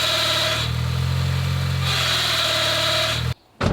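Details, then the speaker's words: 2005 Mini Cooper 1.6, 123,000 miles, idling: the engine sounds fine until the clutch pedal is pressed, which brings a hard gritty rattle with a ringing tone. The clutch release bearing has failed; it won't go into gear and the pedal won't fully depress. "so that problem and that sound basically stops this car from moving whatsoever I can't put it in gear can't put the clutch fully fully down"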